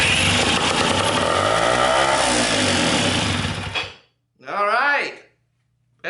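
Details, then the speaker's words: Western Auto 5hp outboard boat motor, marketplace find, fuel tank off: steady even rasp for a few seconds then cuts out cleanly; has spark and enough compression, running really well. "good we got it going so it has spark has enough compression to get it going it was running really well"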